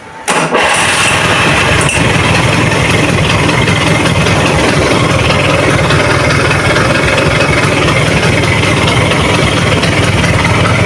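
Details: Rebuilt Vespa Excel two-stroke engine, with the old clutch refitted after a new replacement clutch made noise: it catches right away and settles into a steady, even idle with no misses or knocks; clutch now fine.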